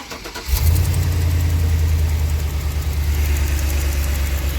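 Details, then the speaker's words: 2005 one-ton Chevy Express van after fitting a new part to fix a cylinder misfire; catches quickly and settles into steady, even low idle with no stumble or miss; running smoothly, no check engine light or codes. "seems to be running smoothly no check engine light codes"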